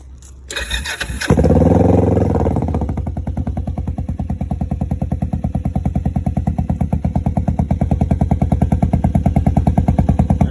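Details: 2007 Kawasaki Vulcan 500 after carburetor removal and refit for carbs hanging up on shift, neutral, choke half out (briefly stuck): starts after brief crank, steady even idle with regular firing pulses, no misses.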